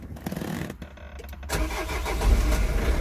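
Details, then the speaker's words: 2003 Nissan 1.9 diesel with crank-no-start and flashing engine light, after joining a broken wire: slow uneven cranking, then catches and runs roughly before dying; starting and stopping, won't keep running. "we go it's died oh stop haha now it's starting and stopping so we get in somewhere"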